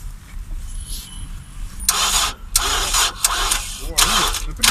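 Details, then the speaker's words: Car trying to start without jump leads: laboured, uneven slow cranking bursts, starter dragging and never catching; battery likely dead, owner advised to check for a current leak. "попробуем наверно по единице загибается это наверное аккумулятор умер совсем на аккумулятор совсем у я давайте пробуйте заводите"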